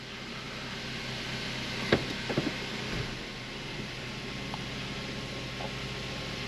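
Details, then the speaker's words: 2005 Mazda 3 after new motor mounts installed, idling in reverse: quiet even idle with low steady hum, couple of faint handling knocks, no shake; no noticeable change in reverse, sounds and feels much tighter than before. "Let the idle come down a little bit, rev it up. Oh, she immediately sounds and feels a lot better, a lot tighter."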